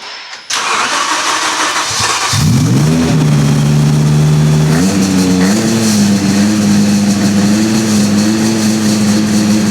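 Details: V10-swapped BMW E46 M3 after new earth straps and coolant pipes, cranking, firing and settling to a slightly lumpy, uneven idle as if a couple of cylinders are not pulling; misfire, though running smoother than before.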